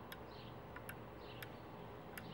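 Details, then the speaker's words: A&A Quikpure 3 ozone unit during rebuild, cover removed, four faint sharp clicks about a second apart over a quiet hum as the left-side safety switch button is pressed; switch working properly. "here for step three we're going to check the safe safety switch on the [Music] unit there's a little button on the left side of it here and as long as you hear it"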